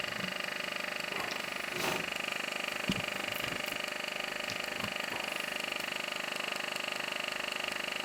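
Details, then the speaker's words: NPR film camera motor running in variable (non-crystal) speed mode, doing slow or fast motion; crystal sync set to 24 fps, light stays on if not in sync. Even, steady high-pitched whirr with fine rapid flutter, no catches or knocks; runs cleanly, fully working. "which is fine I can hear the camera running and it's doing slow motion or fast motion but not if it's in Crystal"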